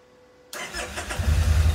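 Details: Kawasaki Vulcan Nomad 1600 on old battery with charger connected: brief crank, catches at once and settles into steady even low thump; starts only with charger, battery too weak to fire computer otherwise.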